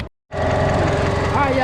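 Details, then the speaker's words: 2010 Kia Forte 2.0L running after an alternator replacement that cured a battery light and a 10-volt battery. Over a steady idle, a thin high whine wavers into a warbling squeal from the belt drive. An idler pulley is suspected; not confirmed. "It sound like they need a pulley over there too. Like a idler pulley or something of that noise that I'm hearing."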